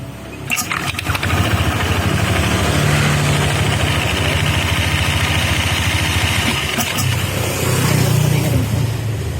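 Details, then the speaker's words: Honda Vario 160 CBS scooter CVT after reassembly: harsh gritty rumble swelling with revs; worn CVT pulley, noise fades when sprinkled with water, confirming damaged pulley. "Untuk suara kasar seperti ini itu biasanya penbilnya teman-teman. Ini penbilnya udah benar-benar kena ya."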